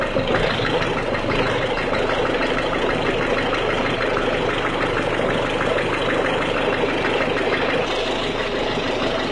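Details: 1.6 HDi diesel cold idle: fast, even clacking over a steady idle, holding its rhythm throughout; cold-start engine clatter, source not pinned down.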